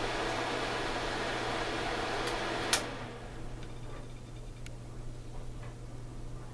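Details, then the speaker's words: Suncourt register booster fan placed over an HVAC vent, running. A steady loud drone with a constant low hum and airy rush, far noisier than its gentle breeze; cause unclear. "I mean, it produces a breeze, a gentle breeze, not one to literally blow your hat off, but it's just noisy as hell."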